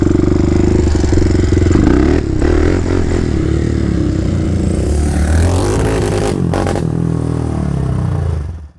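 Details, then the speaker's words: 2007 Polaris Predator 500 four-stroke quad, rebuilt after sitting years, idled about 10 minutes at around 160 degrees: loud steady single-cylinder thump with throttle blips, even firing, no knocks or rattles; runs cool and well, owner thinks still slightly rich. "all right i let it idle for about 10 minutes and the temperature was around 160 so it definitely runs cool i think it's still a little rich anyways i'm pretty happy with this it sounds like it runs pretty good"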